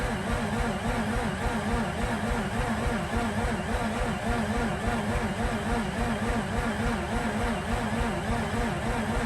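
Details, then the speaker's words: Mazda RX8 not starting, with a fuel leak found; a replacement battery is fitted and the clutch is pushed in. Slow, steady churning crank for about 40 seconds that never fires, possibly weaker than the previous battery. "all right that's like 40 seconds of cranking not a really good first crank um it appears to me that this battery might be weaker than the one that currently had in there"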